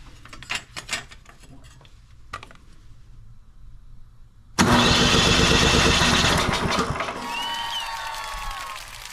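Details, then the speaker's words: Tecumseh 37000 snowblower electric starter, reinstalled after being checked for slipping: the starter now catches and turns the engine over steadily with even compression pulses and no free-spinning whir, where before it only spun without engaging; the engine is not fully started. "okay that sounds good that's what we want now before it was just doing a kind of a spinning sound and it wasn't engaging"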